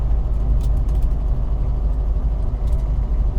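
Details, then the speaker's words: 1964 Morris Mini Cooper S 1071cc short-stroke four driving on the road as the temperature gauge comes up: smooth, deep, silky engine drone with no knocks, clunks or body rattles. The car sounds healthy. "this thing is so smooth there's no rattles this is insane"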